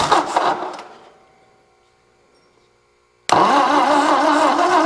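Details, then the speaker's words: 1964 Ford F250 with 223 engine, started on jumper cables: cranks, goes quiet, then catches and settles into a steady but slightly lumpy idle; uneven compression with a few weak cylinders, though it runs and doesn't sound horrible. "Well guys, I don't know what I proved for sure. It's got some messed up compression, but it runs, doesn't sound horrible, and it's gonna probably go out of my shop."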